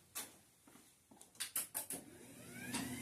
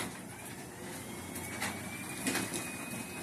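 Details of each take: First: Garage door opener with trolley disengaged: a few sharp clicks, then the motor spins up with a rising whine and runs freely with no door load; motor works but the door does not move until re-engaged. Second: Garage door opener with trolley being re-engaged: quiet steady motor drone with one sharp click midway, then an even run without strain; normal operation.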